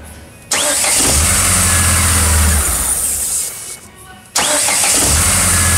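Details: Chevrolet Blazer that came in with a starter motor problem and would not start; after the starter motor was opened and bench-tested on a battery: a brief whirring crank, then the engine catches and runs steadily, starter engaging cleanly.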